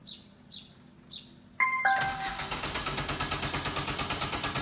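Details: Suzuki car that never starts on the first try: the starter churns in steady pulses about three a second for over three seconds without the engine catching; hard start, cause unknown.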